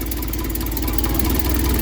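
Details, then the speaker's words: 1972 Triumph Dolomite 1850 automatic, first start after full ignition refresh (new coil, ballast resistor, electronic ignition module): smooth, even low idle with steady beat, no knocks or stumbles; timing judged right, running normally. "but I thought it seems to be the way that's starting up and running it's absolutely lovely"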